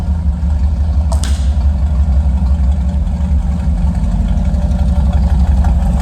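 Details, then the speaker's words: Chevy Van on the first drive after power steering pump replacement: deep, steady engine rumble with an even beat, no knocks or squeals; the van body rattles but the engine sounds healthy. "She's running as rattly as ever, as you can probably hear. The engine at least sounds good."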